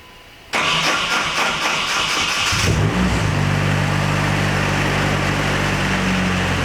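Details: Nissan 240SX S14 with swapped KA24DE on ECUMaster ECU, Honda coil packs, distributor as cam signal, first start after oil priming: brief cranking, then fires and settles to a steady, even idle with no knocks or misses; normal start and idle.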